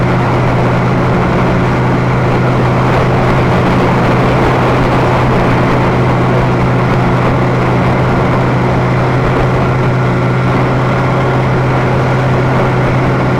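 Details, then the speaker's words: Boat outboard droning steadily under way with a rough, churning quality from the prop as air is drawn down under the hull. Propeller cavitation. "what are the problems that are feeling here right now is that a bit of cavitation in the propeller what that means is that a little bit of air is getting in there when the water is compressed under the boat"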